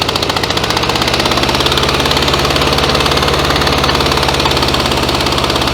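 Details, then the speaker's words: 1966 VW Beetle flat-four idles lumpy with a missing beat and low power. One cylinder is dead, its exhaust pipe cold enough to hold; misfire traced to a failed spark plug. "right she's not running on this one here that's the exhaust pipe coming out there and that's cold I can actually hold my hand on the exhaust pipe there"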